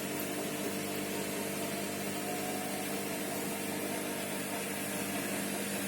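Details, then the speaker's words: Brand-new Bosch Series 6 Vario Perfect front-loading washing machine running: soft steady hum and faint whir with no knocking, banging or rattling; the silent drain pump is very quiet, normal operation. "Can you hear how quiet the pump is? Can you hear how quiet that pump is? It's got a silent pump on it."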